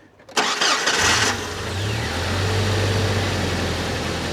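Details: 1998 Jeep TJ Wrangler cranked with regular battery connected after jump-box test: brief crank, fires at once, flares, drops into smooth steady idle; normal start.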